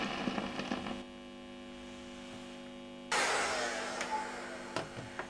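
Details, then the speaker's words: Fender Blues Junior valve amp: a steady low mains hum with crackle and pops as freezer spray cools the valve board. The hum drops significantly once the board is cooler, caused by leakage through the cheap, slightly conductive fiberglass board. "that hum's gone down significantly just because the board is cooler all that racket of course was the actual freezer acting a slight conductive path between various tracks"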